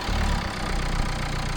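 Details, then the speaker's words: Renault Clio IV 1.5 dCi after a timing belt job, valve cover, EGR cleaning, engine flush, DPF additive and fuel filter change: a low, smooth idle with an even beat and no clatter or knock; it now runs quietly as a 1.5 should. "Jeszcze mamy tak zrzuconą płukankę już z ze starym olejem, ale sami powiedzcie, czy silnikowo nie chodzi teraz ładnie, równo, cichutko, prawda? Jak prawdziwe 1.5 >> teraz chodzi tak, jak powinno chodzić 1.5."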